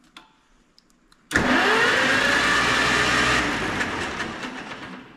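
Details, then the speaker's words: Farmall 400 tractor bought as a non-runner, now reassembled; first start: quiet, then the engine catches abruptly and settles into a steady even roar, turns over nicely with less gunk coming out; clean start, normal cranking and running. "that's good turns over nice sounds like it not nearly not nearly as much Gunk come out as I other than that key is kind of a nuisance to use"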